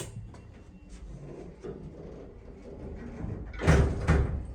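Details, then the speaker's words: Dover hydraulic elevator from the early 80s, 2 landings, at a city hall: quiet hum, then a heavy door thud and a second softer thump half a second later as the door rebounds on closing. "That's weird, it like bounces."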